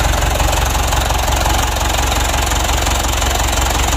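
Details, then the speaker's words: Mitsubishi Canter diesel re-overhauled after only 5 months (oil burning, cracked piston), after rebuild, idle raised during adjustment: heavy, uneven low thumping idle with a shaky knock under it; rough idle, cause not confirmed. "lalu untuk lancarnya ini masih kita aku tahu tinggikan masalahnya masih getaran ya kita matikan dulu"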